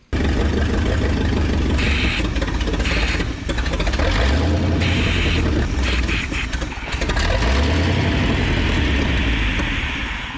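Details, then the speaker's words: 1970 International Loadstar truck revived from locked-up: rough, lumpy V8 idle with an intermittent sucking hiss. A large vacuum leak at the carburetor base, with the gaskets suspected. "where's that vacuum you hear that just sucking away this is pulling"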